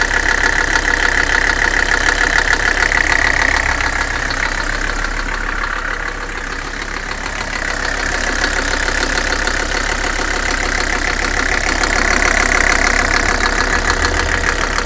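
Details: 300SD diesel suspected of bad bearings: steady idle with a loud, regular knock about three per second, keeping time with the engine, believed to be the bottom end and linked to neglected oil leaks; engine knock at idle, not confirmed.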